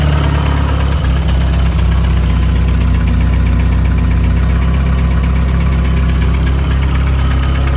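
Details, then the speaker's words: Mazda Miata, before lifter cleaning: steady idle with a light, quick top-end ticking over the engine note. A mechanic judged it an intake-side cam/lifter tick, typical of a noisy hydraulic lifter. "i'll start it up and show you guys the tick right now and then i guess we'll see if it goes away or not"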